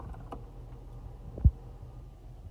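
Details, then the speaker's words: Sparse light ticks, one much sharper, over a low steady cabin hum from the dashboard side of the car; cause suspected, not confirmed; turning a knob fully left and pressing a button stopped it. "hey how's it going guys you want to fix the ticking sound on the side of the car that sounds like this"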